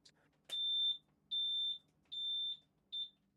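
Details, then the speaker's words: Yamaha outboard boat ignition panel after fitting new Yamaha ignition switches: three steady high-pitched beeps, each under half a second, about a second apart in a quiet space; normal key-on signal that the engines are ready to start. "got the appropriate 3 beeps that mean that things are working correctly, but the engines are ready to start."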